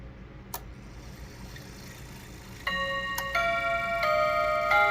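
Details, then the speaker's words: Mechanical clock with Westminster chime after owner's first full service (disassembled about 36 hours earlier), started at the 45 position: soft ticking, then clear even sustained chime notes running into the hour; chime train working properly, sounding far better than before service. "Sounded pretty good. That is leaps and bounds better than it was when I took this thing apart about 36 hours ago."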